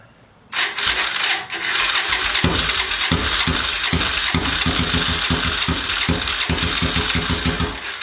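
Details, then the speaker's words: 800cc engine on a homemade pulling tractor with five-speed transaxle, freshly fuelled and started: cranks and catches, settling into a slightly lumpy cold idle; starts and runs fine, later pulled in 5th gear without bogging. "It's a little cold. didn't have to rev it up."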